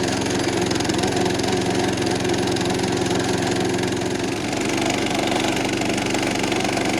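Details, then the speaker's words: Roughly 70-year-old National reel lawn mower, small engine under mowing load after service and freeing the stuck reels, runs heavy and strained with an uneven dragging beat, labouring toward a stall; flywheel afterwards suspected loose but engine not seized. "Pop. That engine does not really sound happy. It sounds like it's working super hard."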